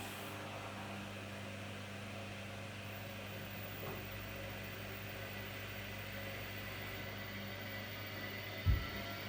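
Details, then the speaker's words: LG F1496AD5 washer dryer after replacing failed drying fan that struggled to start, final test in front of machine: quiet, steady low hum, no rubbing or rattle, one soft click near end; fan sounds healthy. "that sounds so much nicer right job done"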